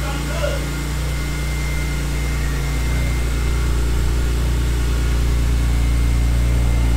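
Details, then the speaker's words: BMW E46 M3, first startup after VANOS bulletproofing, valve adjustment, exhaust hub and all new seals: steady, deep, even idle with no ticking from the upper chain tensioner area. Normal idle, sounds healthy. "so back at toy vex e46 m3 we did the vanos bullet proofing valve adjustment and the um vac engineering exhaust hub so as well as all new seals besides seals and this is our first startup and as expected she sounds beautiful"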